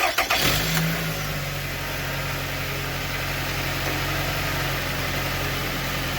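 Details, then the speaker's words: Car previously rattling metallically underneath; after cutting off a loose hanging piece underneath, the engine starts and settles into a steady, even idle with no rattle: quiet, fixed. "so I don't hear the noise it's pretty quiet right so I think we're good"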